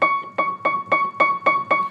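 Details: Piano key struck seven times in two seconds after its hammer flange screw was tightened, each note clean and even with no click; loose flange screws on other keys cause clicking.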